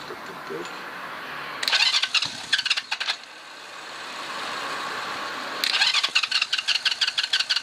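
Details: 1981 Yamaha XS400 twin, unrun for about 13 years (tax disc from 2007), on a booster pack, one carb leaking fuel from a sticking float needle: two rapid bursts of chuffing pulses as it cranks and catches; starts normally.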